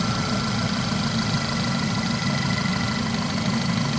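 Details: Audi/VW 2.0T engine after replacing a failed alternator (low battery light, not charging, screech): a steady, even idle with a smooth low hum, no squeal or tapping; healthy.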